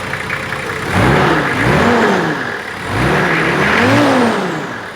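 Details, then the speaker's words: 1995 Nissan GQ Patrol TD42 diesel, first start after big turbo upgrade with fuel system primed: two clean rev blips rising and falling smoothly from idle, no knock, miss or turbo scream; running normally. "That's it. It runs. Good news."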